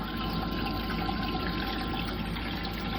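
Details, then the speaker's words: Old Rule 3700 pump running: steady rushing water over a constant motor hum, no rattle or surging; healthy with strong flow. "so we got the pump working just pumping the water through"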